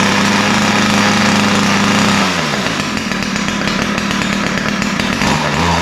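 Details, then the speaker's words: Ryobi two-stroke string trimmer before carburetor adjustment: runs raggedly with a wavering, unsteady idle; both low- and high-speed mixtures sound lean. "you can hear that it runs but it doesn't run that well um it sound sounds like both mixtures are lean the idle is uh doesn't sound right"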